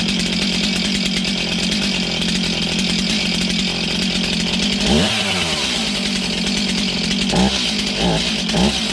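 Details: Stihl MS291 chainsaw, bought used online, just serviced with a service kit; it buzzes at a steady high idle with a couple of quick revs, clean and even with no misfire: healthy runner.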